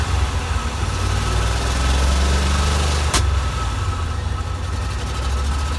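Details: 1987 Corvette engine after unflooding (cylinders blown out, plugs refitted) runs a lumpy, uneven idle wandering about three times a second with a sharp click; dies off throttle and floods again, fuel in oil; owner suspects flooding past rings.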